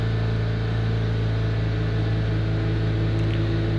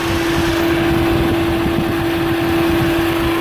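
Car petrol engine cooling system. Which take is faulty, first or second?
second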